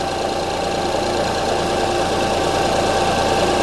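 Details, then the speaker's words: 2005 Honda Odyssey idling with flashing check engine light and severe shaking; uneven, loping stumble about three times a second as one cylinder drops out. Waveform testing traced the misfire to a faulty cylinder 3 ignition coil. "so as you can hear the engine is running the engine is shaking I don't know if the camera is picking this up"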